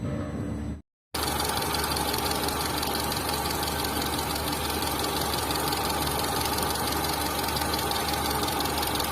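A busy idle with a loose, uneven tapping running through it, roughly three taps a second, pointing to top-end noise. Cause suspected, not confirmed.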